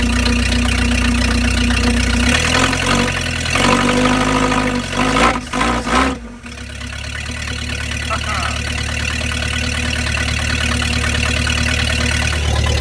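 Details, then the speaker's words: 1953 Packard straight-eight, cold start after long sitting on a temporary fuel can and battery: once it catches, a smooth, even, low idle with no knocks or misses; it runs nicely and drives out of its hole. "wow wow does that ever run nice hey pulled itself out buddy"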